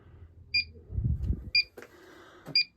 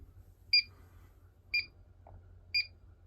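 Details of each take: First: it's a good leak detector it looks a whole lot like their techmate refrigerant leak detector but there is no volume control on it so you got to listen to this beep the whole Second: Combustible gas leak detector around the gas main and fittings between a furnace and a tankless water heater: chirps about once a second, quickening to rapid beeps and a steady tone. It found a leak at a union fitting.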